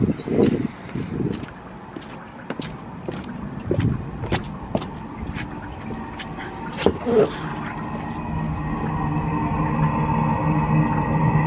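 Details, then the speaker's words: Eberspacher D4 Airtronic M diesel air heater with EasyStart Select controller, installed on a boat: irregular puffs settle into a steady, slowly building hum as the fuel pump runs and the heater lights; exhaust hot, running normally. "Oh no, there we go. She's away. Okay, so the fuel pump's running."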